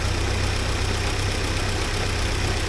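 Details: 1979 Porsche 924 after timing belt tension adjustment, idling: steady, even low pulse with no knocks or belt noise; runs clean.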